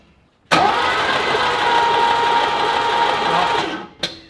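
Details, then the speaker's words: Sandman panel van engine being cranked with spark plugs removed and distributor out, to build oil pressure before first start: fast, even starter spin for about three seconds, no compression pulses or firing; normal free cranking. "I actually got this Dizzy me, but why don't we take the spark plugs out so we get it spinning quicker? Ready? Yep. Alright, spark plugs are out. We're going to see if we can crank a little bit harder and see if we get oil pressure."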